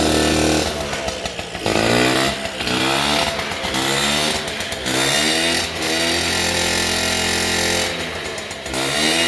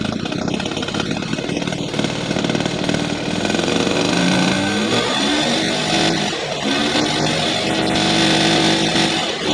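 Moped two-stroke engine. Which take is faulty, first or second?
first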